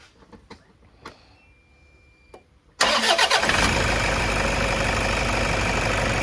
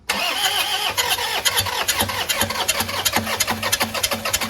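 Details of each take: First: 2010 Toyota Innova 2KD diesel with check engine code P0093 and stalling at 2000–3000 rpm, restarted warm after running: brief crank, catches at once and settles into a steady, even idle, starting easily. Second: 2010 Toyota Innova 2KD diesel with check-engine light, power loss and sudden stalling, after combustion chamber cleaning, fuel priming and a battery jump; long rhythmic cranking with compression beats, then it finally starts.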